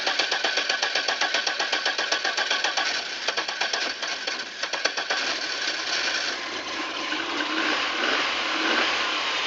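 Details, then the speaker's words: Safari van that would not start after sitting all winter at 14 degrees, now running after refitting the rotor and blow-drying wet plug wires: quick, uneven chuffing settles into a steady run; engine has caught, owner suspects an intake gasket leak. "It's probably from cranking it so much. Okay, looks like we got her going."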